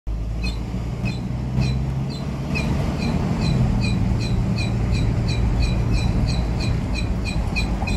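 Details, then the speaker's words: Pickup truck driving, squeal louder after running a while: rhythmic high chirp about three times a second over road rumble, pacing with wheel speed; bent wheel hub wobbles brake disc scraping against the bracket. "vamos a buscar un problema que tiene esta camioneta que como pudimos escuchar al inicio del vídeo es un rechinido muy molesto que tiene alice circulando"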